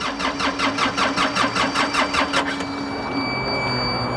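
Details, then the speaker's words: Flooded excavator after oil change and wiring repair: rhythmic cranking chug about 2.5 per second, catches into rough idle then dies; probably air in fuel lines; hard starting. "wow fired right up just to die again probably had air in the lines yeah that's normal"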